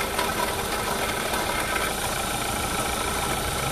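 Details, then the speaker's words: Renault Clio 3 1.5 dCi diesel idling: steady rough whir and faint whine over the clatter from a worn alternator bearing; to be replaced with a used alternator. "donc j'ai en alternative qui est hs c'est bien celui là à l'intérieur et là un jeu de roulement et que du bruit"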